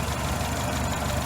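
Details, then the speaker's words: Toyota 4K engine idling after valve clearance set to intake 0.18 mm, exhaust 0.25 mm during tune-up: steady low rumble with even beat, previous ticking no longer heard; normal healthy idle. "Okay, so nawala po yung lagitik. So yan po mga kaibigan, wala na ho yung ingay niya na lumalagitik."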